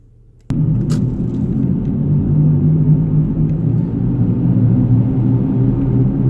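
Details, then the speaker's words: 2007 Honda Pilot heard from inside the cabin while driving: steady deep rumble almost like out-of-balance tires; owner suspects a bad front wheel bearing, before replacement. "almost sounds like out of balance tires"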